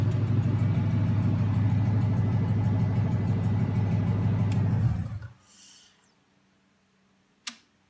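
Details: Junkyard 2009 Dodge 5.7 Hemi, about 80,000 miles, bound for a 1972 Cuda, on a run stand with new Hotwire harness and used 2009 Challenger PCM. First startup. Steady, even V8 idle with a smooth regular beat, no knocks or misses, then a clean shutdown. Normal idle.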